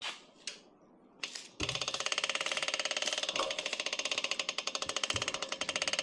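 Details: Chris King R45D bicycle rear hub gives a fast, sharp, crunchy clicking, about ten cracks a second, louder and harsher than normal; noise recurred after an earlier repair replaced the internals, despite little riding since.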